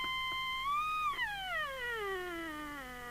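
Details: 1981 Binatone Long Ranger 40 CB27/81 UK FM CB handheld being retuned: a clean whistle slides up to about one kilohertz, then sweeps down to a low note as the crystal is adjusted; it is miles off frequency.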